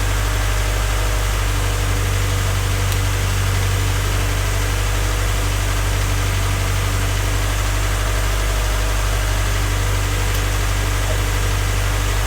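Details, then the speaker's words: Freshly rebuilt Honda Civic D16Y8 engine at first start-up, before any throttle, gives a smooth, steady low idle with an even beat and no ticking or knocking; slight smoke is residual oil on the exhaust manifold. "Right now it's running. Like I said, everything sounds smooth."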